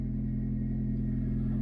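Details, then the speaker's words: Chevy Spark, small chain-driven engine, auction buy with full service history, no warning lights: smooth, even hum at a steady low idle with no knocks, ticks or squeals; normal idle. "nice idle no warning lights it's almost retail ready to go in terms of condition"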